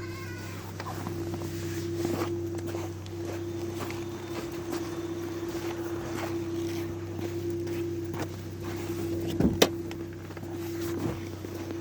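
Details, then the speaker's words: Hyundai i40 2.0 G4NA petrol engine, 180,796 km, never overhauled, started about ten minutes earlier and warming up: smooth even idle with no knocking or rattling; normal idle during warm-up. "[смех] [музыка] никаких стуков ничего такого нет"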